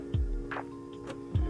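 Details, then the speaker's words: Mitsubishi Evo 9 no-start: two single dull clicks about a second apart with no cranking after either; the starter is not engaging, and it is replaced with an STM starter. "you'll get that click as long as you hear a click that means it's just the starter not engage in"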